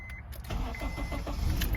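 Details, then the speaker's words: 2008 Honda CR-V 3rd gen after replacing worn ignition switch that caused dash buzzing and no-start: a few quick even cranking chugs, then catches and settles into smooth idle; clean normal start after repair. "wow it start to right it up let's see that again oh yes now we talking that's what we talking about it works no problem"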